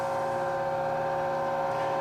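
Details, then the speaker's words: NordicTrack elliptical model 24035.1 in incline calibration mode, ramp still going up: even steady motor hum at constant pitch, no grinding or clicking; normal incline motor operation. "So we're still in the going up process."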